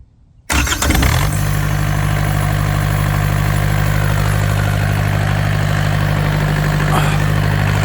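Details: Yanmar TK486 4-cylinder diesel on a stand, no coolant or radiator, after the solenoid is reconnected: cranks and catches right away, then settles into an even, steady clatter on all four cylinders; smooth, healthy idle.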